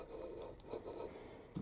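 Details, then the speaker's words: Aprilia RS 125 Tuono, Rotax 122 two-stroke engine, during disassembly: turning the crank by hand gives a slow, gritty, uneven rasping and scraping. The crankshaft bearings are badly worn and rough and are to be replaced. "now I want to take out the crank just Spaniels the crank bearing sounds like this can you that this is really bad"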